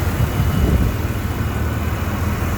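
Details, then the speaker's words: 1993 GMC Sonoma (S15), idling after the distributor swap: low, steady rumble with no stumbles, misses or cutting out; it runs beautifully and has kept running past the point where it first cut out. "But, uh, you hear that thing running? She runs beautifully."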